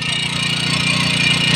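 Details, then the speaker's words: Small engine running fast and even with steady high-pitched buzz after excess overfilled oil, which had flooded it and leaked from the cylinder head, was drained; now starts and runs normally. "Aandarin ko kung aandar. Umandar na. Umandar na."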